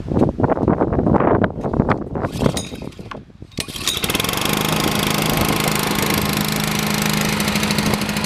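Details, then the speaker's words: Used Honda GCV160 5.5 HP vertical-shaft engine removed from a pressure washer with a failed pump: a few pull-cord tugs, then it catches and settles into a steady, even run with no rod knock. A healthy, normally running engine. "you can see that it runs perfectly fine doesn't make any rod knocks or anything like that good typical Honda motor probably run forever"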